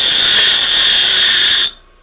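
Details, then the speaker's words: Bench grinder bought secondhand at a car boot sale, switched off after grinding: clean high whine with no grinding or rumble, still spinning at almost full speed; the bearings are good. "so turn this off you can see how good the bearings are on it it's still going almost full speed"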